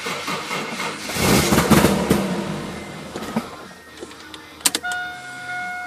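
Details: Toyota 1JZ engine: the starter churns for about a second but the engine never catches, then only dash chimes remain; it cranks but won't start.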